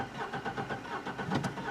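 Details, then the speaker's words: 2004 Chevrolet Trailblazer 4.3L V6, no power, skipping under load uphill; quick relative compression test while cranking: lopsided beat, one stroke per cycle lighter and quicker; cylinder 3 low compression, suspected sticking valve. "We have that again set on cylinder number 3, and we can see just by pulling over, doing that quick relative compression test, that obviously cylinder number 3 has a problem."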